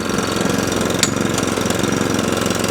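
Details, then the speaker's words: Qualcast 35S cylinder mower with Kawasaki engine, just switched off choke: engine putters with an uneven, pulsing beat, runs after a fashion but won't rev up and down properly; needs fine tuning, while roller drive and cylinder are not moving. "the engine runs to a fashion it doesn't rev up and down as it should do it's a bit of a fine tune but we can sort that later on"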